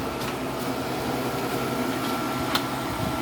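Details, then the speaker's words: Whirlpool air conditioner after owner cleaned it: compressor quiet, even steady hum with constant fan rush, no rattles, grinding or cycling; runs nicely, blowing cold air. "But I figured this was worth saving. It runs pretty nice."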